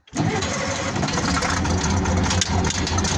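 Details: 1970 military Case 1150 bulldozer diesel, 52 years old, original 1385 hours: fires within a moment and settles into a steady, even diesel clatter with no misses or knocks; healthy start.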